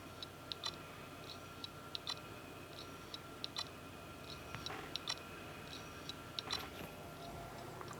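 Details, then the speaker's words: Failed Seagate Barracuda 3TB hard drive in USB enclosure, powered up: faint regular ticks about every second and a half in a quiet room, never spins up properly, then powers off after about ten seconds; clicking and power cycling. "Basically sits there and cycles like that for There you go. It's back off again."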